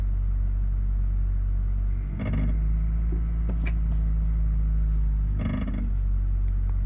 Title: Metal Clanking & Rattling Sound At Certain RPM | Honda Accord | HELP